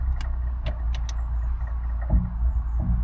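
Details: Fiat 500 at about 72,000 miles, idling and shifted into gear: low rumble with sharp knocks and bangs in second gear and neutral, none in first or reverse, hard to engage park.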